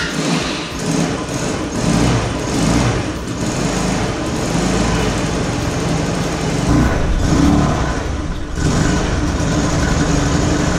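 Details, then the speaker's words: 150cc GY6 scooter that starts but won't idle even after adjusting the idle screw: ragged, hunting idle, revs surging and sagging; suspected CDI, carburetor or auto-enricher. "it's a 150cc scooter it starts but doesn't want to idle even after adjusting the idle idle screw"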